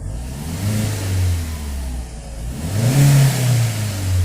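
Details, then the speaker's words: VW Voyage 1.0 EA111 engine after oil pump replacement for a loud noise near the oil pump: two smooth throttle blips rising and falling cleanly, no knocking or rattle; noise resolved. "beleza como a Viradinha funcionando perfeitamente e sem barulho nenhum um certo problema solucionado com a troca da bomba de óleo"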